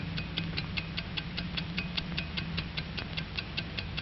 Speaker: controls the ticking of a watch inside we find a beautifully poised and balanced mechanism of Springs and gears pinions and bearings